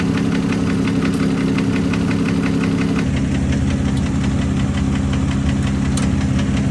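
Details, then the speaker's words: Warm engine with a recently rebuilt DOHC bucket-over-shim head has a faint, steady ticking knock at idle from the front of the engine; valve clearances checked in spec, machine shop says not a death knock, power steering pump next suspect. "now that the engine's warmed up we can kind of tell we can hear that the docking sound's coming from the front of the engine area"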